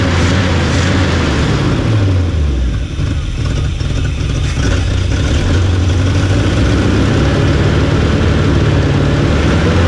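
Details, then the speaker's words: 1975 Chevy 4x4 plow truck V8: loud raw rumble with uneven blatting pulses and a mid dip, no muffling; no exhaust system, dumping under the holed cab; smokes, owner suspects no rings. "no exhaust on it. It's just nothing, So I'll probably have to do something about that because there's so many holes in the cab with that exhaust dumping out all around here and under the cab."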